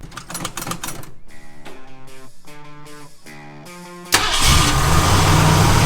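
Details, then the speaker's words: 1947 Ford F100 with Ford 302 V8, first start after swapping a Holley for an Edelbrock carburetor: catches quickly and settles into a steady, even idle with no misses. Electric choke heard kicking in, needs tuning down. "all right that sounds pretty good that fired up pretty quick this thing feels awesome"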